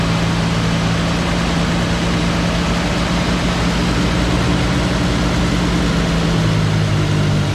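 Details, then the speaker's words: CCKW truck's heavy petrol engine idling: steady, deep low rumble with no ticking or puffing; no exhaust leak audible anymore. "Sounds good. I don't hear an exhaust leak anywhere."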